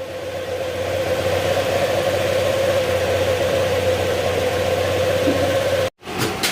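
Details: Honda Click 125 after engine overhaul, warming up: smooth steady idle with even mid-pitched hum, no knocks or rattles; cricket-like noise gone, engine healthy.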